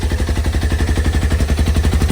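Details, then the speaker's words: Polaris RZR XP Turbo S restarted after replacing a stuck-open fuel injector that was dumping fuel out the muffler: loud, fast, even popping about ten a second over deep engine note, likely excess fuel burning off; suspected. "All that excess fuel."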